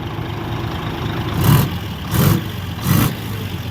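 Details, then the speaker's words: Heavy diesel dump truck idling with a dull puff swelling about every three-quarters of a second; it sounds like an exhaust leak, suspected but not confirmed. Acceleration was described as good. "อะไรวะเสียงเหมือนท่อรั่วนะ"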